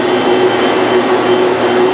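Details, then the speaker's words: Rikon 12-210H jointer/planer after re-tensioning the infeed roller chain idler, which had slipped and let the slack chain skip and pop; even, loud cutter roar at constant pitch as a board feeds, no popping or slipping, infeed now smooth. "well that worked really well that's actually the best in free performance that player has had in a long time for like two years now"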